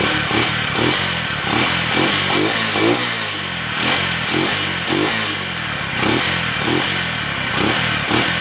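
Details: Motorcycle after intake manifold replacement for a vacuum leak that caused backfiring: small single revs rise and settle without popping or stumbling; intake sealed, engine runs clean.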